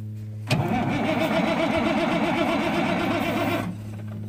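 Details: Freightliner FLD120 diesel truck, 397k miles, sitting unused since 2003, first start attempt in 17 years using ether: steady starter churn about four compression beats a second with no catch; air in fuel suspected, cranks but won't start.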